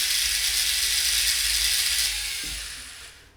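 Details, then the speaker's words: Robot wheel gearbox with plastic gears, wheel held by a finger: rapid, even clicking about four per second over a high motor whir; gear teeth skipping under load while the motor keeps spinning. "wheel doesn't move. Motor's going crazy. But then it it comes stuck, right? And I can when I when I put my finger here and it stop spinning, I can feel the motor is still spinning."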